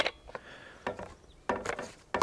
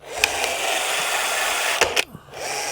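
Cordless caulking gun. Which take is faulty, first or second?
first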